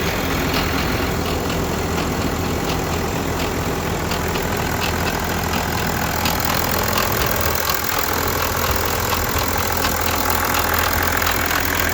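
Diesel idling with a light, uneven metallic rattle riding over the clatter, pointing to a worn, slack timing chain.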